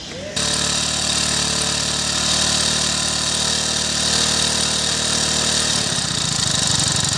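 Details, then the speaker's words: Hero Passion Plus motorcycle engine, noise intermittent and varying with throttle: hard metallic clatter riding over the engine note, coming and going; piston with excessive play in its bore suspected. Piston slap. "कभी-कभी क्या होता है piston खराब हुआ राहत है piston के अंदर प्ले ज्यादा ए जाता है तो जब आप इसको लेटर डॉग हल्का से तो आवाज चले जाता है"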